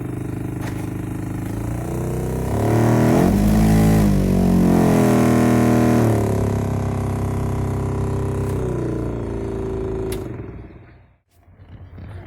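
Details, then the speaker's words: 2001 Mitsubishi Pajero Sport interior ventilation blower motor: a loud droning roar with a fast, even wobble; leaves and a piece of cloth sucked into the fan unbalanced the motor; removed. "no motor sugou várias folhas até um pedaço de pano aqui para dentro eles balance o motor por isso que tava fazendo aquela barulheira lá"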